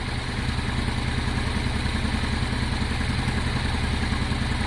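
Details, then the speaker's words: Honda Deauville V-twin motorcycle after carb clean, fuel pump now working, warming up: even, low throbbing idle with steady beat, no knocks, misses or hunting, revs smoothly with plenty of power; normal idle. "It seems great, guys. There are fuel pumps blatantly working. It revs lovely, watch. Plenty power."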